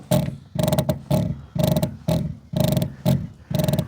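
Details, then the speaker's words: Renault Vel Satis, extra microphone on the rear suspension while the car is rocked by sitting on it: a sharp, grating creak repeating about twice a second rather than a knock; broken rear coil spring. "Yeah, it's definitely a creek. Quite a sharp creek rather than a knock."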